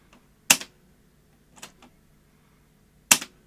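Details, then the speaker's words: Sony Beta VCR, likely needing belts and maybe capacitors: three sharp clicks with no winding whir; drum spins up but reels don't turn, fast forward fails and it's effectively in pause. "failing to fast forward we want to be the same then play sounds like the drum's spinning up but this this balls are not turning so it's effectively in pause"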